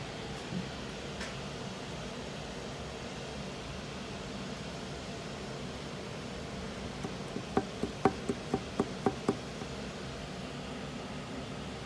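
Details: GMC Terrain SLT 3.0 (Y code engine), warmed up: sharp metallic taps about four a second come and go over a steady engine hum, engine knock appearing after warm-up.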